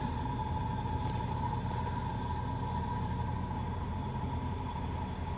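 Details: 1995 Oldsmobile Ninety Eight Regency Elite started after lock cylinder replacement and VATS security bypass; steady, even low rumble with no misses, knocks or hunting; smooth, healthy idle.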